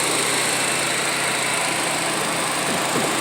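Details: 2006 Nissan Altima 2.5 after a crank-no-start was fixed with a new crankshaft position sensor: steady, even idle with no stumbling, surging or cutting out, now running about 30 minutes. The engine sounds healthy.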